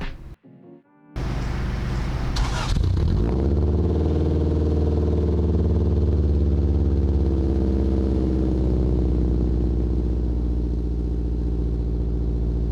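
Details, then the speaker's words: Honda Integra (front-wheel drive): after start, loud, deep, blatting open-header-like rumble at idle from a large hole in the bottom of the exhaust flex pipe near the header; exhaust leak at flex pipe, before the pipe was replaced. "basically the flex pipe that that I do have right now the bottom of it is there's a huge hole and it's what's causing the open header noise or sound open header sound"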